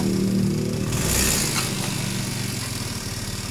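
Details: Honda Beat scooter (carburetor/injection) revs, then uneven throbbing about four pulses a second as the CVT clutch grabs on take-off; clutch judder, suspected worn or hard clutch linings, worn clutch housing, loose spring or loose nut.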